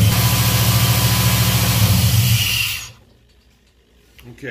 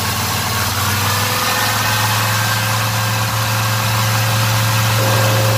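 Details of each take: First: Black Pearl pickup after a TBI throttle body rebuild, first start with about 10 psi fuel pressure: a low, uneven pulsing idle of three to four beats a second, then it dies away. Choppy because the MAP sensor vacuum line was disconnected. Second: Black Pearl pickup V8 after a TBI throttle body rebuild with cleaned injectors and fuel pressure set a little over 12: a deep, steady idle hum with an even beat and no misses, stumbles or ticking. Normal idle.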